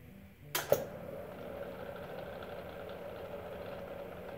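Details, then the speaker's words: ACME handsaw vise and filer, motor run with no belt to isolate earlier noise: a couple of clicks on switch-on, then faint steady low hum; motor runs quiet, not the noise source. "pretty quiet I haven't boiled it yet there's a little bit of noise there but I think that we definitely cannot blame the motor or the noise in the machine"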